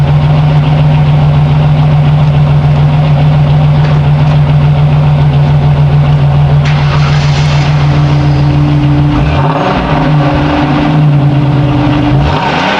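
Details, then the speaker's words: 1989 Chevrolet Celebrity CL wagon with a 3.1L engine, single muffler, two tips, heard from the rear: steady deep idle then short revs that rise and fall cleanly, no rattles, pops or misses; healthy exhaust. "tip number two one Muffler I think it's got a pretty good sound"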